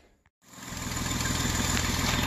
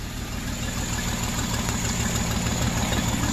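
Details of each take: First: 2009 Jeep Wrangler 3.8L V6 manual after repairing cylinders 2 and 5 misfire (no spark from coil, PCM driver burnt by shorted coil circuit): catches after brief silence, settles into smooth even idle. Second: 2009 Jeep Wrangler 3.8L V6 6-speed manual idling with a heavy uneven low thump and shaking, dead misfire on cylinders 2 and 5; no spark from the 2/5 coil, which shorted and burned out the PCM coil driver.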